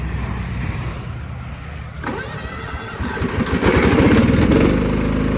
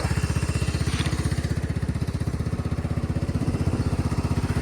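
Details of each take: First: 1999 Cub Cadet HDS 2135 riding mower, cold start in very cold weather, choke troublesome, history of hard cold starts and dying: couple seconds rapid cranking, catches, settles into steady fairly even idle; cause unknown. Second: 1999 Cub Cadet HDS 2135 riding mower after cold start: steady even putter about three firings a second, no misses or knocks, smooth idle; owner says it purrs, normal.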